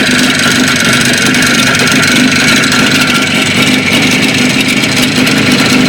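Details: Jupiter 5 two-stroke motorcycle engine running: a loud, busy exhaust note with a rapid sharp rattle, an internal engine knock of unclear cause.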